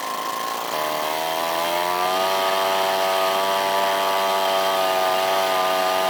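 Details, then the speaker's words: Outboard motor just after carburetor replacement, first start: catches and settles into a steady, even buzz with a clean, stable pitch, no misfire or stumble; runs normally. "there we have it so runs it works"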